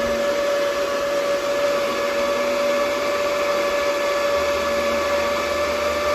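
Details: DB Werx amplifier fan on adjustable buck voltage regulator, set at about 8.23 V output then increased: smooth constant whirring without rattle or wobble; normal fan running.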